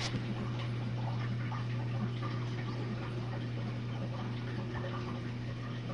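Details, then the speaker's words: Jenn-Air dishwasher on Quick Wash, drain phase after the main wash, heard through a newly fitted air gasket: steady low pump hum with faint trickling water, no rattle or gurgle; draining sounds normal. "Goes the draining. And as you can hear, you can definitely hear the water draining out."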